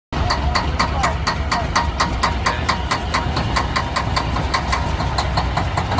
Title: semi truck won't start